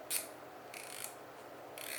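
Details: Samyang/Rokinon 12mm f/2.0 lens aperture ring being turned: quiet, crisp ratcheting clicks in short bursts; normal detented aperture action, too noisy for smooth video pulls.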